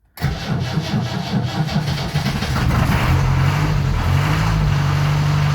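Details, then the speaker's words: Land Rover Series 2A 2.25 diesel cold start after sitting a month, about 20 seconds of glow plugs, out of gear: brief crank, catches at once, settles into even steady idle with almost no smoke; healthy start. "starting perfect i can't be happy with that i'm really chuffed with that that's a month easily a month since it started"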